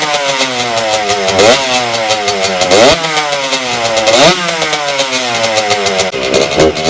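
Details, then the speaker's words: 1992 Suzuki RM125 two-stroke after carburetor cleaning, choke off, mixture screw adjusted: buzzy revs climb and fall, sagging and stumbling off the bottom, fine at higher rpm; others suggest it is leaning out. Bog at low rpm. "it's still not running great running better definitely a lot better than last time but it just still bogs on the bottom and higher rpms it runs fine"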